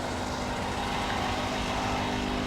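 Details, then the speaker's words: 2018 Dodge Charger Daytona 392 at auction, coolant spilled and engine covers missing: engine idling under a steady mechanical drone with a faint whine; AC compressor sounds bad. "Listen to that compressor. Oh, that sounds bad. That sounds bad."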